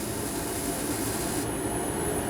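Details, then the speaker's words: Gas garage heater relit after fitting exhaust pipe: steady even rush of burning gas, sparker quiet with no harsh crackle; normal burner ignition. "now there she goes even the sparker's quiet that one i've got at the garage god it sounds like you're getting electrocuted"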